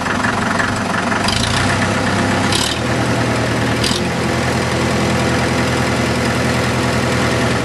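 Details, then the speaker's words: Restored Farmall Super MTA diesel tractor, rear engine seal replaced, heard from back of tractor: throttle raised, steady even diesel clatter with no misses or knocks. Normal running at raised RPM. "now raise the throttle up raise the RPMs a little bit so you can hear it running from this"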